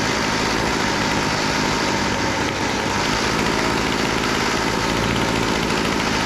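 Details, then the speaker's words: Weed Eater GHT22 two-stroke hedge trimmer, unused for a long time, running high and steady with no surging after carburetor work: the high-speed needle had been too lean and the low-speed needle too rich. Now runs well but needs slight carburetor adjustment. "oh all right that sounds pretty good uh we need a little adjustment on the carburetor"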